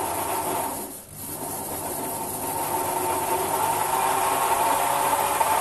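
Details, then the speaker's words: Sherline metal lathe on a new heavy pine base, running: steady high whine over constant hum, no rattle, noisier than the owner's bigger lathe; some movement seen, owner unsure if from motor; excessive running noise. "I mean, this lathe's actually fairly noisy, I think, for its size. It's noisier than my big lathe, really."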